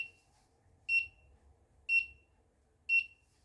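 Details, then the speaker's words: Stovetop monitor built on a Particle Argon: three sharp high beeps about once a second in a quiet room as the buzzer sounds the over-temperature alarm with the stove left on. "the buzzer is now opera now buzzing so we have an audio alert"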